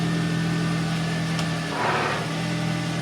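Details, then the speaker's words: Ford Fiesta ST150 after installing a used clutch and gearbox refit, first start: steady idle hum, then a short rough grinding burst as the clutch bites and car moves; cause unclear. "That sound bothers the hell out of me, dude. >> Yeah. It's a grinding."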